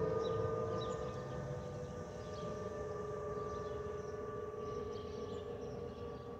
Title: Delta Airlines Airbus A320-212 N351NW DL2689 RDU-DTW (FOPP whistling sound) (Stabilized) (5-11-2023)